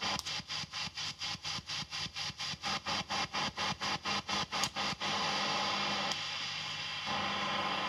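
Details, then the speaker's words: Fender tube amp with TAD red-base power tubes biased about 18–19 mA per side (about 8 W): about two soft, even tremolo thumps a second through hiss, then steady hum, with recording gain boosted; mild and normal. "I'm going to be honest with you. Even though I've increased the gain on the video so you can hear it more clearly, this is nowhere near as bad as I've heard before. It's pretty normal."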